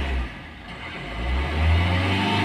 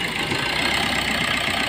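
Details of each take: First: Maruti Suzuki Ertiga diesel with starting problem, suspected poor diesel supply from pump or injectors: revs surge and sag unevenly then fade, check light on, engine stalls and won't restart; engine stalls when revved. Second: Maruti Suzuki Ertiga diesel with starting problem, after replacing the pump with a second-hand unit: even, steady diesel clatter with no misses or hunting; idle smooth and stable, check light gone.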